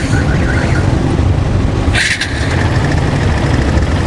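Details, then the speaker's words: Barako motorcycle single-cylinder engine running with a heavy, busy rattle; not the connecting rod, the balancer is excessively loose with too much play, causing the noise; fix is taking up the balancer clearance. "Yung balancer niya mga bossing ay masyado ng malog. Masyado ng malog yung balancer niya kaya ganun siya kaingay."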